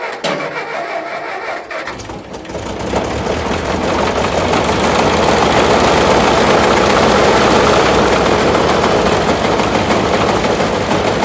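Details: Massey Ferguson tractor, first start after restoration work, after fighting for spark at the distributor points: engine catches after cranking and settles into a loud, fast, even banging about three per second, like something beating against something; source unknown.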